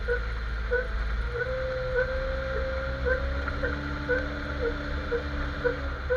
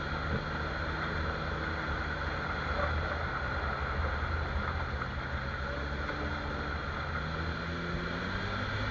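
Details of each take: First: Jeep XJ while driving: a rubbery chirp repeats about twice a second with wheel rotation over low road rumble. Owner suspects the front axle shaft u-joint. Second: Jeep XJ front axle on test drive after spraying dry lube on the suspected axle-shaft u-joint with cracked rubber: only steady road and wind rumble, no clicks, clunks or squeaks; noise gone, u-joint confirmed as the cause.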